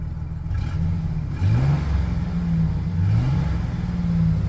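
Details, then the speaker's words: 2008 GMC Sierra 4.3L V6 after ignition coil replacement for a P0305 misfire, with the code cleared: free revs climb and fall cleanly with an even note, good throttle response, and the earlier shaking seems to have gone away. "Sounds like throttle response is up there. And before I'd feel a lot of shaking, so feels like the shaking kind of went away too."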